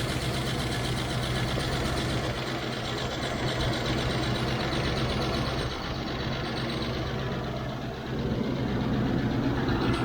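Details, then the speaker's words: 1993 Range Rover LSE V8 at cold start after an oil and filter change (oil looked thin): fast, even ticking over a rough idle, louder on one bank, quietening as it warms; owner suspects oil draining down from the tappets. "I've heard less rattly V8s. It's improving. I think the problem is that the oil is draining down from these tapets."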